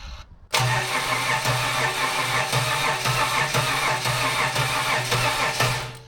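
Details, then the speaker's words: Budget L67 supercharged 3800 V6 swapped into a WH Caprice, first fire-up without the belt; the starter cranks evenly for about five seconds with no start. Fuel is confirmed at the bleed valve; the owner suspects low fuel pressure or the missing belt. "I'll check the bleed valve on it. It does have one. Yep, got fuel. No bueno."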